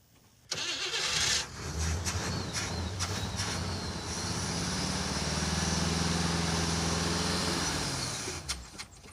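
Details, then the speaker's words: '56 Chevy Field Car, 500-hp small block, cranks evenly and quickly for several seconds but never catches; the small electric fuel pump won't lift or pick up fuel even after priming the hose, so there is no fuel flow or pressure. "the fuel pump isn't picking up."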